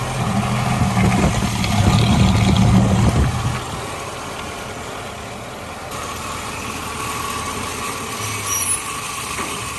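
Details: Suzuki Katana (Jimny) ex-racing engine at first start after full rebuild back to stock, oil pump primed beforehand; previously smoked white. Even steady low idle rumble with no knocks, misses or ticking; running smoothly and healthy.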